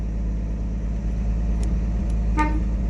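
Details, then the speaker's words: 1959 Chevrolet Bel Air with the steering wheel being removed to check the horn trigger and switch, engine rumbling. One short, clear, strong honk is heard; the horn still works. "oh the horn still works so that's good I just heard it oh that's cool glad to hear that one"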